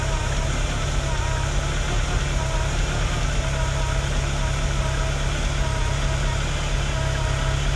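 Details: Ferrari with K-Jetronic, after cleaning and greasing fuel metering unit contacts and reassembly: steady even low rumble, no misses, knocks or hunting; normal idle.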